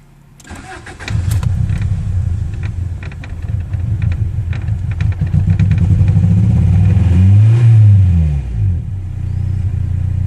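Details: 1994 Honda Prelude with a JDM H22A swap and 5-speed, run after the engine bay was washed with Gunk cleaner. It catches and revs with an uneven, stumbling beat about four times a second. Misfire, cause unconfirmed.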